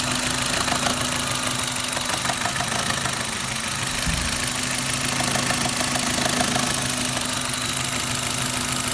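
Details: Suzuki Ignis M13A petrol engine at steady idle with a rapid, fairly regular metallic knock about three per second; engine knock, source not obvious.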